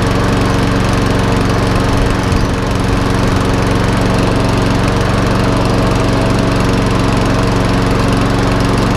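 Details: Einhell mower after fuel system cleaning: small single-cylinder engine holding a steady, even rapid beat with no misses or surging; running smoothly.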